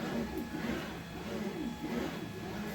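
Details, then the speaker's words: Ender 3 Pro auction rebuild, after sliding the adjuster in its slot so the belt tracks better: quiet stepper whir sweeping back and forth evenly. The earlier rub is mostly gone, though the belt still touches toward the end; it is tracking normally. "and yeah it's tracking much better it's it's still towards the end touching I can get a little more out of that that's as good as it's going to get"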